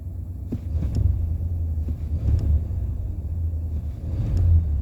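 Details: Engine struggles to fire with a low rumble, uneven catches and surges of power before settling into a rough run; hard starting, cause suspected but not confirmed.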